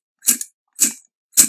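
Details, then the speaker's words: Rapco dry aircraft vacuum pump, removed and turned by hand after its nuts were tightened. It gives three even airy whooshes about half a second apart, a slightly throaty and different sound; normal sealed pumping with no rattle. "how that sounds kind of throaty yeah a little bit different and regards that"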